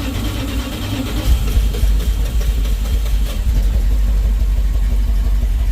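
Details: 1970 Dodge D100 pickup with a Holley Street Dominator intake, new fuel line, choke not hooked up, an open plug at the back later found unplugged: a long, uneven starter churn, never catching; no spark, so it won't fire.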